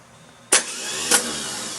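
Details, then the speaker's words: Case 430 tractor (188D engine) starter mounted outside the housing for a free-spin test: sharp clunk as the Bendix throws forward, steady high whir, second clunk; starter is good, so the engine itself is mechanically stuck. "well it's good that the starter is good but it's bad because now I'm going to figure out what's wrong inside the motor"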